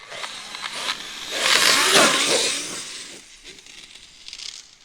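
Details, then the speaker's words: Traxxas X-Maxx with an eBay belt and pulley drive conversion, third test after revisions: a high whirring drive turns harsh and gritty, crunching and catching in bursts and getting worse until something gave; crunching belt drive noise. "it's sounding worse and worse sounding crunchier and crunchier"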